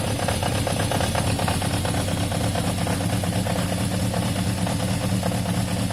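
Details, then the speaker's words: Warm Yamaha XJ550 four-cylinder after carb cleaning: steady, smooth, even idle with no hunting or mechanical clatter, though the idle seemed a touch low and was being raised. Normal warm idle. "I think the idle is a touch low. Let me lift that."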